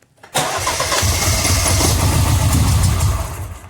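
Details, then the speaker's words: Mini Cooper S crank-no-start, high pressure fuel pump already replaced once: brisk steady cranking about three seconds, never fires; pump gets power, ground and control but no pressure, so the replacement pump is faulty; new pump fixed it. "so we know it's getting the control it's getting ground and it's getting the power it's just not giving us the pressure that we want"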